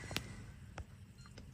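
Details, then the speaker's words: Mercedes ML W166 with StarLine S9 V2 alarm, ignition on with no badge, Bluetooth phone or code: three short, evenly spaced beeps about 0.6 s apart as the immobilizer waits for authorization; the engine then starts but is cut. "je sais pas si vous entendez la centrale fait trois bips réguliers"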